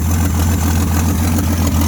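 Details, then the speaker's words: 1979 AMC Jeep J10 258 inline six just revived, choke coming off: steady even low rumble settling into a smooth healthy idle, no knocks, misses or stumbles; oil pressure present, fuel line leaking. "Choke's coming off. Man, she runs sweet."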